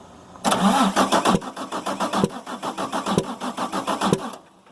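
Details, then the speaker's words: Damaged 6.7 Cummins from a Ford F750, truck body removed, minimal wiring, batteries getting low: slow labored cranking, about four pulses a second with uneven sharp pops; suspected intake valve stuck open or dropped valve in one cylinder. "what that is, or what we believe that is the intake valve is either stuck open, dropped a valve, something like that. Something on the intake has gone wrong in one of the cylinders."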